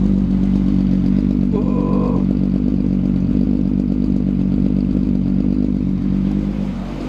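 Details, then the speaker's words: Restored car "Miley" running after battery reconnected following electrical issues: deep, even exhaust drone with no knocks or misses, holding steady then easing off; normal running. "Oh yeah, we good. Oh, she's just a happy car."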